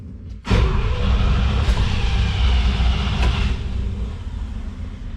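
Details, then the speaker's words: International Harvester C1600 truck with 345 V8, cold, choke fully out, electric fuel pump primed, starting fluid used: starter cranks over in an uneven rumble for several seconds without firing; normal cranking. "let's see here we go it's gonna take a few turns so be patient"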